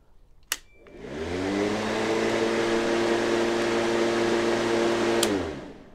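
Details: Black & Decker CM1640 cordless mower after fixing worn, bent starter lever parts: motor hums up smoothly to a steady even whir for about four seconds, then winds down cleanly; motor running normally.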